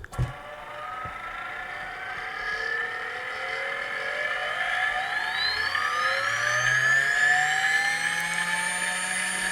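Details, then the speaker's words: Small low-turn brushless motor on an experimental single-coil driver at 12 V drawing 430 mA, about 11,300 rpm; it spins up with a rising whine and a faint dry rattle from worn bearings. "the bearings are a little bad on there, and so you're going to hear that rattling, but running at 12 volts and drawing 430 milliamps"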